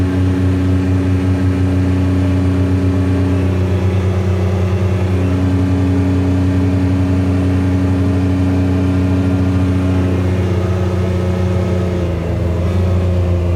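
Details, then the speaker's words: Kubota RTV900 diesel utility vehicle, hydrostatic transmission after replacing charge pump, brass wear plates, charge pressure relief valve, filters, hoses and oil; road test at nearly 27 mph, fastest ever. Steady diesel drone, even hum rising smoothly with speed, no slipping or surging; normal hydrostatic drive. "Well, that was nearly 27 mph. That That's the fastest this thing has ever done since we've had it."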